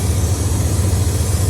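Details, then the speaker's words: 1994 Ram 1500 pickup: low, uneven, lumpy idle, rough and funky at first; owner suspects vacuum leak, rotating thump rises with RPM, possibly distributor cap, not engine knock; noise went away in second gear. Rough idle, cause unconfirmed. "Little rough sounding. Ain't going to lie. Sounded a little funky at first,"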